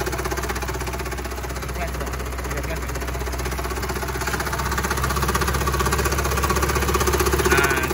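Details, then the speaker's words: Car with engine running and AC switched on: harsh, fast metallic rattle from the condenser (AC) fan, caused by a worn fan motor bushing; the fix is replacing the fan motor. "Nah ini Ini ac-ne udah tak hidupin terus di bagian sini muncul bunyi bunyi yang enggak nyaman"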